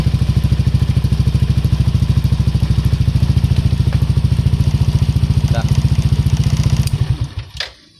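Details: Yamaha NMAX after soldering the broken ignition key switch wiring (sudden shutdowns from accessory wiring): steady, even low single-cylinder putter at idle several seconds, then shuts off cleanly; sounds healthy after repair.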